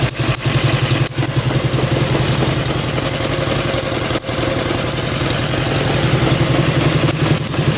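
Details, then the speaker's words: Russian Dnepr military boxer twin sat 30 years in a barn, first run; uneven idle chuff with sharp high chirps every few seconds; owner suspects a bearing, squeak getting worse with time, unconfirmed. "oo I think that's a bearing it is not a good squeak it gets worse with time not great"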